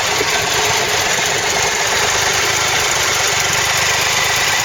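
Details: Motorbike fully warmed up at idle on a wet, cold morning about 4 °C: steady idle with a busy, hissy mechanical clatter riding on top; engine noise when warm, cause not obvious.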